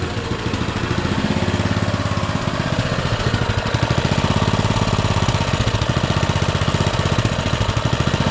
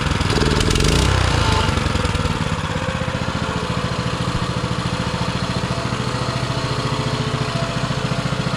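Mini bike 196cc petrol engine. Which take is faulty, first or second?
first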